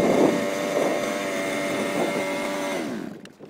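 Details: Fifth-scale RC car two-stroke engine during break-in and carb tuning, high needle set about an eighth turn rich: drone with a soft, wet, underwater-like gurgle and no crisp edge; rich mixture.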